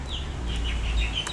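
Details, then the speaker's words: HP laptop on Windows: on a keypress, one short, clean high beep sounds and nothing types. The cause is Filter Keys being turned on in Ease of Access, and switching them off fixes it. "Sticky keys. Turn on filter keys. Okay, that's what the issue is. So this is what the issue is."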